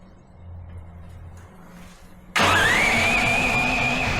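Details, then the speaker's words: New Duromax 13000 generator after replacing the backfire-damaged choke stepper motor and fitting a new spark plug gapped about 0.029–0.030 in: engine catches at once and settles into a steady, even run with no pops or backfires; normal start. "all right fired right up no backfiring no issues just in case that was a oneoff let's try it again"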